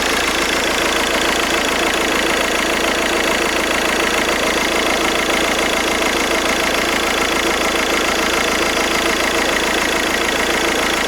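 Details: VW Golf 5 1.9 TDI 77 kW at idle. A fast, tinny rattling whir rides steadily over the normal diesel clatter, indicating a bad alternator.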